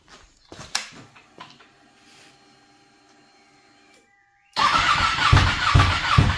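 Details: Ducati 959 Panigale race bike that lost power, misfired then wouldn't restart, no ECU error codes, after separating suspect wiring: quiet ticking then steady fast starter churn about two turns a second, never catches; cranks but won't start.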